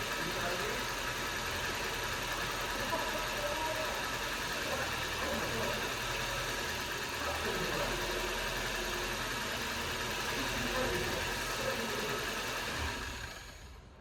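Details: 1999 Toyota Celica 1.8 SR after 7.5 years stored, seized throttle freed with a hammer tap: steady, even idle with a smooth mid-pitched hum and no misses or knocks; running normally.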